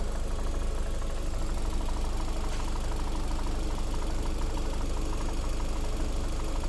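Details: Lada Vesta SW Cross 1.8, January 2019, 29,000 km, at idle: light tapping about three times a second over the engine note; engine knock of unclear cause.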